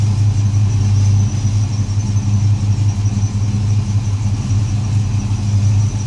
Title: LS1 misfire